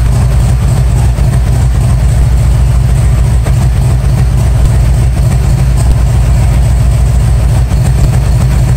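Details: 1997 Harley-Davidson Road King Evo, first start after top-end and cam chest rebuild: deep, steady low rumble with even loping beat, no knocks or rattles, pressure washer running outside; normal idle.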